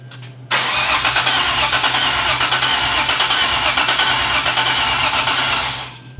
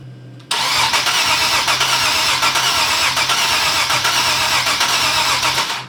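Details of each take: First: Nissan 370Z Nismo VQ after supercharger air-to-air conversion and timing and gallery gasket refresh; steady starter cranking about three turns per second for five seconds, no firing, priming oil before first start. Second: Nissan 370Z Nismo VQ engine, first start after air-to-air supercharger conversion and timing/gallery gasket refresh: starter cranks evenly for several seconds with no firing or sputter; fuel pump heard and fuel pressure present; crank, no start.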